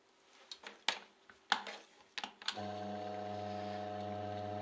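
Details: Two-speed Rainford/Indesit washing machine motor (type M12.93.01.45) on 220 V with 12.5 µF capacitor, low-speed winding (420 rpm): a few handling clicks, then steady even hum; runs smoothly.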